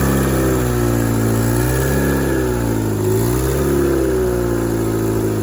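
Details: The engine blips up and settles with a raspy puffing edge that grows with revs. It is quieter at idle and worse in gear under acceleration: an exhaust manifold gasket leak.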